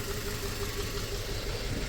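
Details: 2004 Toyota Tacoma 4-cylinder, 141,000 miles, steady warm idle with a slightly uneven, loping beat as cylinder 1 drops out. New coils and plugs did not fix it; the injector is suspected of failing when heat-soaked.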